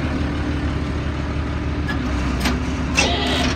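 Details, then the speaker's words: 1988 Ford F-800 crane truck, 7.8L diesel, 5-speed manual, 14,329 mi, warm, PTO engaged: steady idle under a low hydraulic hum with brief hissy surges as the boom runs in and out; the crane operates normally. "that works not sure how to rotate it here but I can hear that every single handle does something so the PTO is engaged and the crane is alive again"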